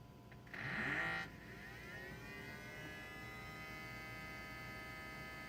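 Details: 2007 BMW 335i E90 electric coolant pump test, ignition on, microphone under front near pump; replacement pump about 10,000 miles old; brief louder burst then faint steady hum, no grinding or rattle: normal operation.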